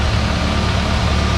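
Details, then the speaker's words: IH 140 tractor after restoration with new radiator, hoses, belt and water pump, coolant topped off; steady even low rumble at idle, no knocks, misses or odd noises, transmission much quieter than before, PTO turning; running healthy. "so everything is running sounds good i don't hear any weird noises a lot quieter in the transmission than it was earlier"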